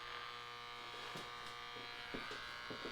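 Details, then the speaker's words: Nordmende Othello Z 320 radio with the broadcast band wrongly wired to the shortwave 1 key: on broadcast with the ferrite antenna on, only steady hum, static and a pulsating buzz about twice a second, no station received. "I put the antenna, the ferret antenna. I activate it. Nothing. but static and a pulse. It's pulsating."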